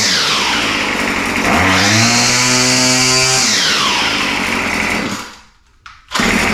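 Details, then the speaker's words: Murray M2510 two-stroke line trimmer after fuel-system repair, high-speed mixture needle opened slightly as it seemed lean: revs cleanly to a steady high scream and drops back smoothly, running healthy. "yeah so it still sounds really really good uh I opened the highspeed mixture needle just a touch it sound like it was maybe just a little bit lean having trouble warming up but yeah it runs really really good"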